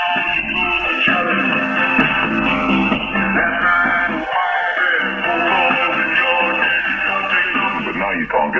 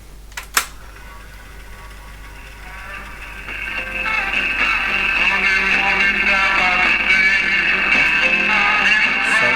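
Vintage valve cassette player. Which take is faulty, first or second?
second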